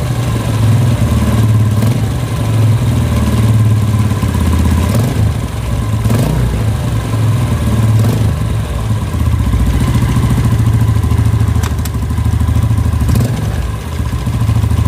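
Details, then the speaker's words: Yamaha Vega R New motorcycle at idle, slightly revved: loose irregular clacking rattle from the engine; mechanic suspects the clutch, loudest there. "jadi bunyinya itu klak klak klak klak klak klak klak klak klak laki-laki itu temen-temen apa penyebabnya dan masalahnya dimana"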